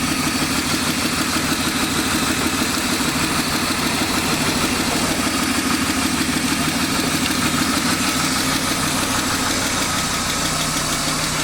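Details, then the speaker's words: BMW 328i E36 inline-six, bought cheap with suspected blown head gasket, first start: light fast tick about two per second over steady idle, no white smoke; owner suspects needs an oil change, otherwise sounds pretty good. "but other than a little tick tick which probably needs to oil change or something get it off of here oh so sounds pretty good other than that little ticking town we're not gonna run it too long"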